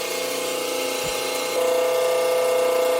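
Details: Delta 28-560 16" bandsaw, first start-up after new tires and belt, blade at maximum tension: even motor whir with steady mid tone settling after startup, no ticking or scraping; blade tracking good, running normally.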